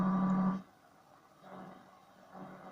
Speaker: so I have this uh chip uh ham radio power supply which um uh radiates different frequencies different uh carriers inside the am band here is